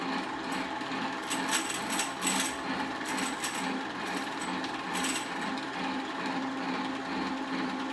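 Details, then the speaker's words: 3000GT/Stealth 5-speed AWD transmission rattling in neutral, back plate off, spun on a drill press on low: loose, irregular metallic clatter over a light hum from the top area, stopping with slight gear pressure. Cause suspected, not confirmed. "Well, that rattle noise is coming up from the top area here. If I put it just a little bit into gear, it stops."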